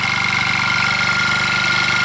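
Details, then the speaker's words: Old motor scooter, unused since 2014, restarted after years in storage with a dead starter battery; runs well at idle but a fast, even rattling and banging with a thin whine comes from inside; owner unsure of source; engine rattle. "not sure what it is and where it is but something's rattling so they run runs well so something up in here is rattling and banging and I'm not quite sure"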